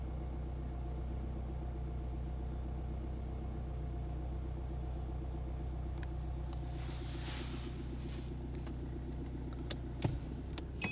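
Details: Mercedes E-Class W211 220 CDI diesel idling: deep, steady rumble and fast rhythmic clatter, then sharp clunks and a brief high tone. The strange noise is unidentified and a Mercedes dealer could not find the cause.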